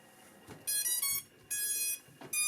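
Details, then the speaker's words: Cheerson CX-23 brushless 5.8 GHz FPV GPS drone powered on by holding button: three bright high beeps about half a second apart; normal power-on. "now to turn it on you just kind of push and hold until you hear the beeps there we go"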